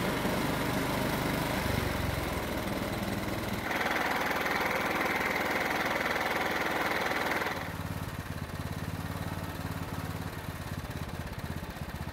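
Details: John Deere riding mower engine after carburetor reinstalled; formerly died out of choke. Starts on choke, runs steadily in run position, then settles into an even, regular idle without surging or stalling: problem fixed.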